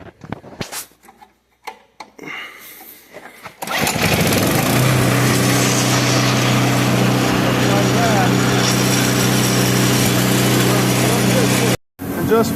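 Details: Craftsman electric-start snow blower after carburetor cleaning: small engine catches and holds a steady, even, fast idle until cut; running cleanly.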